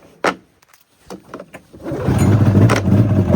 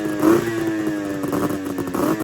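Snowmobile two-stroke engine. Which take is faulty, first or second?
first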